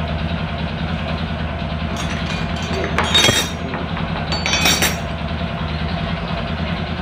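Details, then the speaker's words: Honda Supra 125 motorcycle with hard shifting and weak power, after clutch adjustment: a low, uneven single-cylinder idle rumble with a coarse rough edge and a couple of louder flares. The noise persists from a connecting rod problem; needs an engine teardown. "untuk suaranya tetap tidak hilang karena Emang permasalahan ada di stang sehernya dan rumah kacanya itu harus turun mesin ya"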